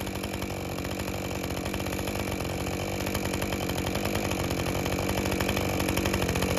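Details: Husqvarna 550 XP Mark II chainsaw, complained of bogging, plug was very wet, at full operating temperature, owner thought it slightly lean: hard, steady scream under load with crisp even firing, no bogging; normal full-load cutting.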